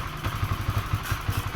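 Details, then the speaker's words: Honda CBR 150 LED (new model) at idle with stored fault code 12 (injector problem): low thumping idle with unevenly spaced, jerky beats, rough surging; owner hopes pulser socket connection is poor, wiggling it; cause unconfirmed. "Nah, di sini kayak ada nyendal-nyendal gitu loh mas bro. Kayak langsamnya ini di sini kurang bagus."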